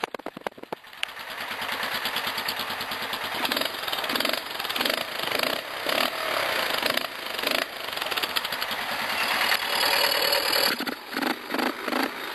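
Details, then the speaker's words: Baja Wilderness small single with airbox lid removed, freshly cleaned air filter and spark plug: loud raspy intake roar rising with revs, pulls cleanly; owner notes it bogs past 3rd gear without the lid. "Man, that's freaking loud, dude."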